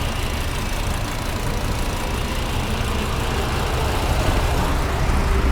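Steady idle with a dull, irregular rubbing growl under it; the starter bendix is sticking out and dragging on the ring gear.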